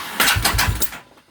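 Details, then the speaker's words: 2009 Buell 1125CR no-start: starter whirs and spins freely about a second before the engine briefly catches then fades, with a burning smell; the failed starter sprag clutch under the left-side charging rotor free-spins in both directions. "it did it it did a little bit um the motor caught a little bit but you can hear the the starters spin before the motor spins for like a second"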